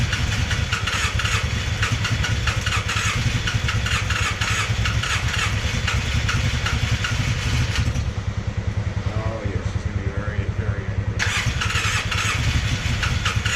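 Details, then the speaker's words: Polaris Sportsman 600 ATV engine: fast, uneven cranking chugs that nearly catch but never settle into a run; hard starting from low compression. "all right YouTube we got some bad news with the sportsman six hundreds yep unfortunately she's got no compression"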